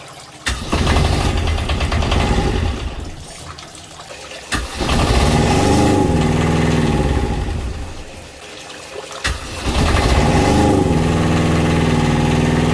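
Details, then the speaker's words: Fischer Panda diesel genset on a Regal 38 XO boat, test-run and bled after its fuel tank was moved to port: the pump note changes as solid fuel arrives, then it catches quickly into a steady even hum over repeated starts. Normal. "you can hear the pump change noise when it starts to get solid fuel just like that a good solid fuel close that off"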